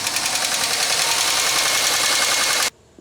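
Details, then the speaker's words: 2003 Pontiac Grand Am GT coupe bought cheaply while heavily worn, running. Rapid, fairly regular light tapping, about three to four per second, over the engine; the owner says it definitely sounds like upper-end noise. "the air conditioning does not work that definitely sounds like upper end noise"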